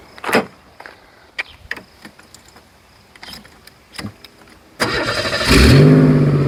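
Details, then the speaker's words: 1988 Chevy Cavalier Z24 convertible starting up: clicks, cranks, then catches into a loud, raspy idle, louder than normal. Owner thinks it has an exhaust leak. "sounds like it has an exhaust leak sounds like another video for us to do fixing it"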